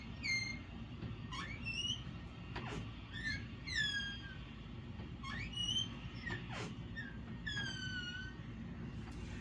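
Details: A door swung back and forth gives repeated high, gliding squeals from a dry, squeaky hinge. This is before the hinge is lubricated with WD-40.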